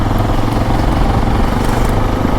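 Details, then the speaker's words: Hero XPulse 210 single-cylinder motorcycle after its second service: steady idle with busy, rattly mechanical chatter over the low thump; chain noise persists after service, which the owner says is common on these bikes. "కానీ ఆ chain sound అయితే ఇంకా వస్తూనే ఉంది. నాకు అసలు ఆ sound వింటేనే చిరాగ వస్తుంది."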